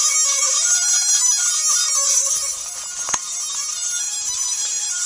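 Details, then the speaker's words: Flood-damaged Mitsubishi i-MiEV traction motor run from a small VFD on 240 V in place of its controller; a thin high steady whine with a wavering mid tone as the motor creeps slowly, sounds wrong, cause not yet found. "Okay. When Oh, it sounds funny. Sounds like techno"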